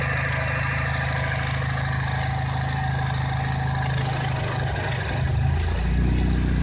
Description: Cobalt SS rough idle when taking off the oil cap.